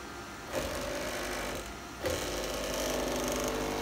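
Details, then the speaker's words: JMC iHSV57 100 W servo on a Taig lead-screw CNC mill with a 48 V supply, 150 IPM, 32,000 pulses/inch, 22 in/s² acceleration: quick rising whirs and steady hum with no clicking. The traverse is normal. "crazy fast I've never seen anything like this in person"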